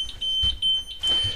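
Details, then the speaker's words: Shoprider mobility scooter with no status LED: on switch-on the controller gives a slow, high beep repeating in short bursts over handling noise, warning of a fault traced to the electromagnetic brake. Electromagnetic brake fault warning beep. "you can hear that audible tone slow beep telling you there's a problem"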